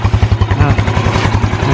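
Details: Used motorcycle at idle, exhaust covered with a cloth to hear the engine better: even, quick low putter with no tappet or cam-chain ticking on top, so the engine sounds healthy.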